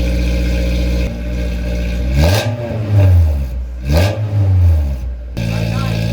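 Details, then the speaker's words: Honda S2000, not driven for 7 years, with a straight-piped 3-inch exhaust: raspy idle climbs in two quick blips to about 3,000 rpm with a loud booming drone and no muffling. Straight-piped exhaust. "With that being said, let's take a listen to what the straight piped 3-inch exhaust sounds like."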